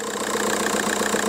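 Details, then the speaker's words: 2002 VW Golf PD130 diesel idling after the injector loom was replaced. The idle is steady and even with a smooth regular beat and no stumble; the owner says it purrs, loads healthier. "loads healthier that though nope yeah listen to that baby purr"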